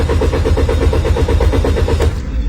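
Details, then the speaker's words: Car that won't start despite throttle valve replacement and checks of spark plugs and ignition coils: steady rhythmic cranking four to five beats a second, never fires; traced to dirty camshaft position sensor. "did you see it this car won't start no matter what do you know why"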